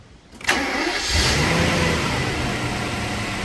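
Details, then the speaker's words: Mercedes M120 V12 after replacing upper engine wiring harness and MAF sensor harnesses; quick crank, clean catch, brief flare then smooth even idle. Normal start and idle after repair. "And now we can hear what a V12 sounds like with a good harness."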